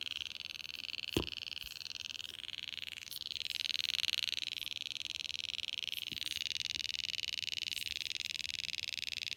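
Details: GoPro Hero 4 camera while charging: light, regular tick about three or four times a second with a faint high whine, which stopped only when the battery was removed; cause unknown.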